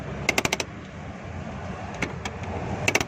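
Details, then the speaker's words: Car handbrake after adjustment (a jammed wheel's adjuster was loosened and reset): two quick runs of four or five crisp ratchet clicks as the lever comes up. The handbrake now holds firmly and works normally; the brake pedal is also firmer. "अभी ये देखें दोस्तों, ज़बरदस्त इसमें ज़ोर आ गया। ये आवाज़ भी साथ साथ दे रही है।"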